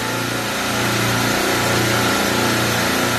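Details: Copeland refrigeration rack compressor after faulty contactor replaced, oil pressure about 60 psi net: steady, even hum with constant tone and no knocks or rattles; running smoothly.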